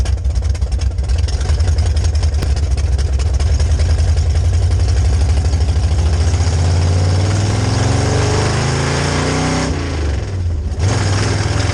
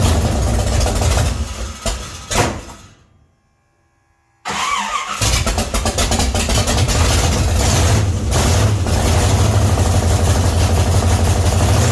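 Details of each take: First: 1966 Chevy C10 rat rod V8 with rebuilt carb on test drive: deep uneven rumble sags and stumbles under load; acted like ignition, but fuel pump holds pressure at idle and cruise while carb bowls empty faster than it can supply. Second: 1966 Chevy C10 rat rod, start after adjusting the oil pump and refitting the distributor, timing not yet checked with a light: cranks, pauses, then catches into a steady, even rumble without misses or knocks; starts and idles fine.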